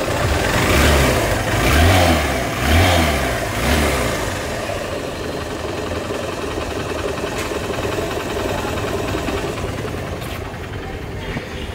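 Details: Hero Honda CBZ Xtreme single-cylinder motorcycle after repair of an engine sound problem: revs up and settles cleanly with an even exhaust beat and no rattle or tapping from the top end; normal running.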